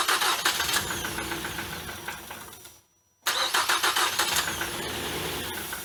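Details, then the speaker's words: Damaged engine with a cracked head, water and fuel cleared from the cylinders. Engine cuts out, then revs back with a hollow airy rush as the seized electronic throttle body motor freed up and opened: stuck electronic throttle body. "Wow guys I just realized what that noise was what that was is the throttle body the electric throttle body the motor right here I don't if you could see it it just it was must have been froze up and just freed up and open that's why I heard that hollow sound"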